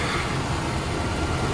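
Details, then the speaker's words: 80s Lincoln Town Car V8 after deleting the malfunctioning smog equipment, ports capped and plugged: even low idle rumble, no misses, knocks or hunting; owner says it runs as good or better without it; normal idle. "Runs just as good, if not better, without it."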